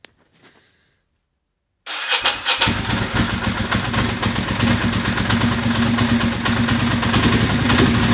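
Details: Ducati Monster 620ie: after a quiet pause it starts into an uneven, lumpy idle with stumbling beats; bad injector, confirmed by swapping injectors, which moved the misfire to the horizontal cylinder.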